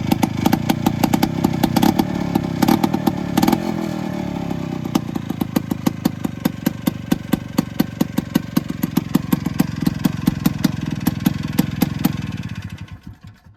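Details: Two-stroke Attex 6x6 with Rockwell engine, new lighting coil and adjusted points, blown-out rear rubber motor mount: crisp rapid popping firing steadily without misses, then winding down cleanly; runs normally, earlier no-start blamed on fuel accidentally shut off.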